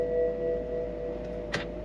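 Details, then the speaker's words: 2007 BMW X5 4.8i (E70), running after the transmission fluid was topped up: a steady two-tone warning chime sounds as the shifter drops out of drive back to park; the owner suspects it needs more fluid. "Maybe I need to fill it up some more cuz this is what it was doing when I was having the issue. So, like now I'm in park. Try to put it in drive. Back to park."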